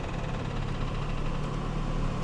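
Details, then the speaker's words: Genesis with 243,000 miles, listed as non-running, starts with flashing check engine, TPMS and airbag lights; rough, uneven idle with a dull internal knock, suspected rod knock or cam follower, not confirmed. "well here's the thing though guys I was right the listing was wrong says it doesn't run granted probably has a rod knock or Cam follower or something something in the engine bay there is is very unhappy"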